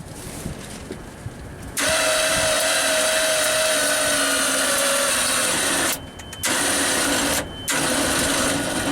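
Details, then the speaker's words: JLG MRT 260 scissor lift engine cranked with all three spark plugs removed on a cold day: strained starter whine, slow uneven cranking barely turning the engine; starter drawing way too many amps, battery nearly dead; failing starter suspected again. "Well, bad news on this one. I think the starter's shot again, drawing way too many amps and not really turning the engine over too well."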